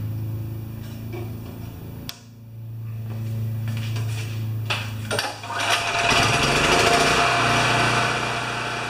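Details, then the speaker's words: Champion 3000 W single-cylinder generator, brought in as a non-starter, running without choke after fiddling; doesn't run like new, has been around the block, oil change next. Steady buzzy drone with a slightly rough edge, no knocks or misses; normal running. "so it doesn't doesn't run like you're a new one but you can tell it's been around the block a few times"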